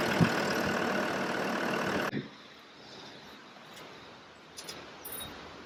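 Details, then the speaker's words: TD5 diesel swapped into a Land Rover Discovery 3 with 6-speed manual, after fitting an extra 4–5 bar fuel pump: smooth, even idle for about two seconds, no knock or miss, then cuts off; healthy. "Alright, so fuel pump is fitted, or the extra one, so let's see what happens. You can hear it. Nice."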